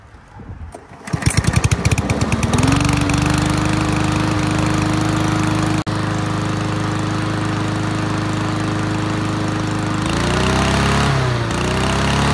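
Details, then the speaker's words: Yard Machines MTD push mower after reseating loose spark plug wire; catches after a few pulls, smooth steady drone with brief load dips; running properly, earlier heavy smoking has stopped. "so let's take this back off so now that it's actually running pretty well it was smoking"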